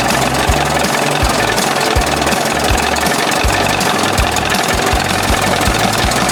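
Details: 1981 20 hp Evinrude two-stroke outboard in a test tank, warmed up after powerhead flush and new thermostat and gasket for cold running: loud, steady burble at idle with an even low beat and no knock or rattle; running its best yet.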